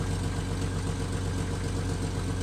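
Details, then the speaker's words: Jeep Wrangler TJ petrol engine at idle after removing, cleaning and reassembling the throttle body, with gaskets checked. It was previously idling rough. Now a steady, even, smooth idle with no knocks or misses; some initial roughness after cleaning is possible. "after it's all back together that's what you should sound like"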